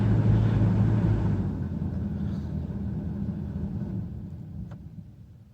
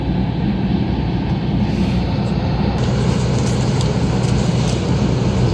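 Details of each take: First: 2003 Dodge Caravan blower motor with the resistor tested outside its housing, key on, speed turned down from full blast: steady fan hum dropping in pitch and fading smoothly, normal speed response. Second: 2003 Dodge Caravan, key on, blower dead on first, second and third speeds and working only at maximum: steady low fan roar at full speed, most likely a failed blower motor resistor.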